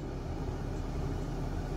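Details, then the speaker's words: 1966 Plymouth Fury III heater/AC blower fan fed directly with a 12 V test wire through the low, medium and high wires: steady, even whooshing on high, no rattle or squeal; fan and wiring good, switch suspected faulty. "high of course yep and low so it goes low medium and high now that's also a good sign so that tells you your wiring is good"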